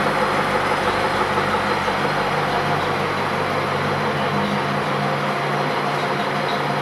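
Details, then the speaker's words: 1929 Studebaker camper on bus chassis, fully rebuilt President 8 straight-eight (new rings, aluminum pistons, balanced crank, rebuilt fuel pump, flywheel), Fuller 4-speed; smooth even low idle, steady exhaust beat, no knocks or misses, motor sounds good. "That's it? Well, that motor sounds good."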